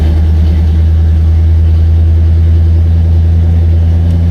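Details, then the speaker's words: 1975 Buick LeSabre convertible with engine idling: steady low hum of the top motor labouring evenly without speeding up; top motor works but is very slow and needs people to help lift the top. "So as you can see, the motor is working, but it's super slow. So two people had to help to kind of get it up."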